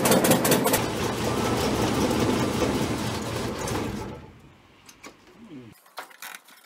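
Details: Abandoned Chrysler Valiant VG, not run since 1997; first start attempt after fitting distributor (slant-six dizzy), battery, coil and leads, auxiliary fuel tank. Rough uneven chuffing as it cranks and catches briefly, then dies to near silence; won't keep running, timing/fuel suspected.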